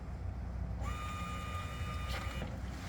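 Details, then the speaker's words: 2000 Chrysler Sebring fuel pump, run with a scan tool, new filter and pressure gauge fitted. A faint high whine switches on and holds steady about 1.5 seconds; the motor spins but the gauge shows zero pressure. The pump has failed. "but I'm getting nothing. Nothing at all. It's coming out of the top there, firing up, but I'm getting no pressure, so we're going to stop that."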